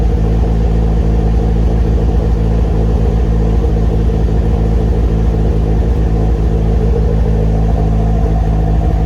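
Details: Engine revving: loud low rumble with an uneven stumbling beat, cylinder 3 misfire, probably an exhaust valve; suspected, not confirmed.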